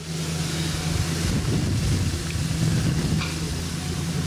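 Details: Vintage Crompton Parkinson electric motor on test after cleaning: a loud, steady low hum with no knocks or rubbing, not getting hot, no burning smell; suspected partially shorted run winding, drawing 12 A instead of 2.15 A.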